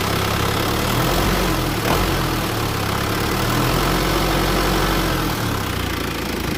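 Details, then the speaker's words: Isuzu Panther 2.5 conventional (non-common-rail) diesel after DIY injection-system purging: steady, crisp consistent idle clatter with no rough misses, sharper than before; normal idle, cleaner combustion. "Mesinnya suaranya ya apa renyah gitu loh. Katanya mesinnya suaranya lebih tajam kayak gini maksudnya. Suara kas dieselnya itu lebih renyah gitu, kayak goreng-goreng kerupuk gitu loh."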